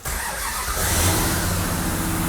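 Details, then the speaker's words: Supercharged Hemi-powered Plymouth Superbird built from an old Road Runner, first start: in neutral, fires straight away with a deep, strong rumble that settles into a steady lope, no misfires or knocks; normal start. "yes listen to that listen to that oh my God"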